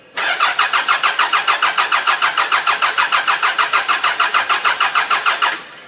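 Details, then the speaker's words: Mid-1990s Toyota Camry demolition derby car that quit after being stripped: starter cranks evenly at about three and a half turns a second for five seconds, then stops without the engine catching. "I stripped the car to fill up a van to go to scrap just so I can have another car empty and now it will not start"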